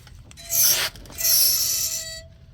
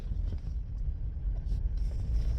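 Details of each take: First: Front wheel of a car with front-end noise, turned by hand: two bursts of thin, high metallic scraping. The pads are worn low, and the wear indicator is suspected; a wheel bearing is still possible, so the pads are being replaced first. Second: Car with front-end noise when turning right, after front brake pads were replaced on both sides, test drive while turning. Only a low, even road rumble with no squeak or squeal; the noise is gone.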